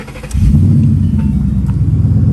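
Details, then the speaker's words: Flood-damaged Mustang V8, first start after fitting new spark plugs for a suspected plug problem: brief crank, catches at once, settles into a deep even idle with no misses; normal startup. "first startup with the new plugs which i'm suspecting is going to run good"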